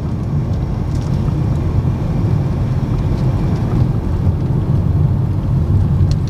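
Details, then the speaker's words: 2022 Honda BR-V after full cabin and front underbody sound deadening for tyre noise: steady, muted low tyre drone on coarse asphalt, no harsh hiss or boom; road noise greatly reduced. "Ini sekarang posisi di speed 40. Kedengeran nggak? Suaranya beneran berkurang banget."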